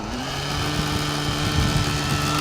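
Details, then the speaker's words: OS 105HZ-R nitro engine in an RC helicopter, near the end of running-in with top-end and mid-range needles still rich: steady high-pitched buzz with a soft, burbling edge; power is sluggish. "so at the moment this should be rich running works let's let's see how it goes"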